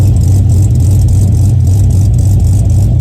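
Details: 2009 Pontiac G8 LS2 with big cam, after HP Tuners idle tuning to fix cam surge: deep steady low idle with slight rhythmic cam lope, even and settled, no misses; normal, properly tuned cam idle.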